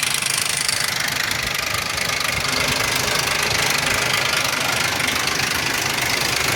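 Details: 2001 Ford Explorer Sport 4.0 SOHC at idle: loud, fast, unrelenting metallic top-end rattle, with low compression on all three right-hand cylinders; owner suspects the rear right-hand timing chain or cam sprocket, unconfirmed.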